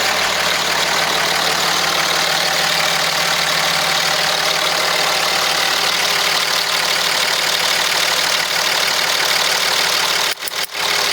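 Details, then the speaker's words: Third-gen Cummins diesel truck, about 1000hp, after fitting an O-ringed head, ARP 625 studs and coolant bypass, idling after a test drive: steady, even diesel clatter with no misses or odd knocks, cutting off near the end; healthy, smooth idle. "sounds pretty good. Dude, it's happy. It's a happy truck. You can hear it in the back. It's just like a sewing machine. Just hear how smooth it is."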